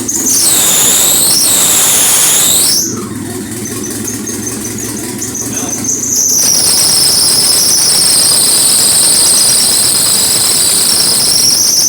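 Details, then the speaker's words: Honda Civic EM2 with stock D17 engine at 10 psi boost, downpipe not yet connected; loud high squeal over a steady idle from a slack drive belt needing tightening. "this belt just needs to be tightened so that fat squeak himself more but yeah she sounds good"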